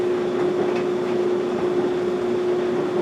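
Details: LG DLEX7177RM electric dryer that won't heat, in diagnostic test mode: a steady smooth hum with a soft drum rush and no knocking or scraping. The drum drive motor runs normally.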